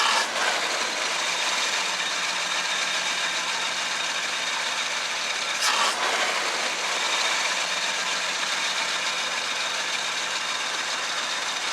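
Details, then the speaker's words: 1966 Chevrolet C10 after a tune-up with dwell, timing and carburetor set: even, unhurried idle at about 700 rpm with a light rattle, no stumbles or misses, no hesitation on throttle; normal idle. "alright I think that's pretty good we've got the tax set at about 700 rpm it doesn't seem like it hesitates when you hit the gas the timing seems better"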